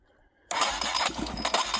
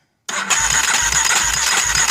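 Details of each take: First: Junkyard Yamaha Warrior 350 single-cylinder engine, fuel poured down the cylinder: after silence it catches and pops raggedly on the primed charge, firing briefly but not yet running on its own fuel supply. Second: Junkyard Warrior 350 engine cranking during compression test after freeing a valve that was held open; even, strong beats about 2.5 per second, reading about 90 psi, throttle not held open; compression now judged acceptable.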